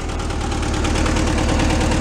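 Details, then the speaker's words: Air-cooled flat-four in a barn-find Amante GT kit car, after replacing a bad spark plug: even, steady low idle pulse with all cylinders firing cleanly; normal smooth idle. "Smooth too. Nice and steady."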